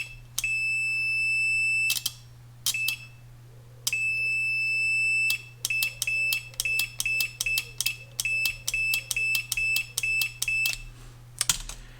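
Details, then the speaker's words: Relay from a Triumph Trophy 1200 off the road six years, bench-tested on a charger supply: sharp click then steady high buzz with each switching; contacts close cleanly with continuity, relay works. "And we heard that tick. And we now have continuity."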